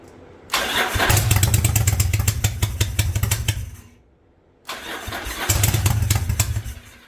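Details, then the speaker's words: 1985 Yamaha Virago V-twin barn find with a single-carb conversion on a DIY manifold, on its old spark plugs: it fires twice into a lumpy, uneven beat and dies back. It seems to be firing on only one cylinder, with smoke from the front pipe. The owner suspects bad plugs. "anything well I'm going to do this I think I'm only firing on one cylinder so I don't know if both these plugs are good"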